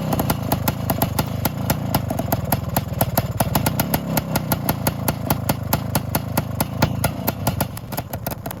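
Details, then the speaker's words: 1972 Suzuki TS185 two-stroke after carb tuning: crisp evenly spaced popping at steady idle around 1800–1900 rpm, adjustable via the idle screw, no stumbling or misses; runs, rides and shifts through the gears. "adling real nice now sitting right at 1800 1900 and I'm able to adjust it with the idle valve so honestly got to say I'm pretty excited about how this is looking now she definitely seems much happier"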